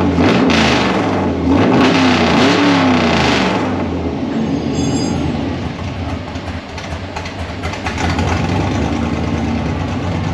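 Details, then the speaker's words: 1955 Chevy Nomad small-block Chevy on its first start with a sheet-metal tunnel ram and dual Holley Sniper fuel injection: it catches, settles into a steady idle, then revs up quickly and drops back cleanly, sounding healthy and responsive. "I just had one uh one spark plug undone let's hear it it revs fast priming"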